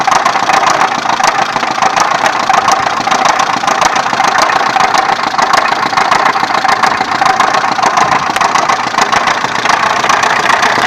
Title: Стук мотора х20хеv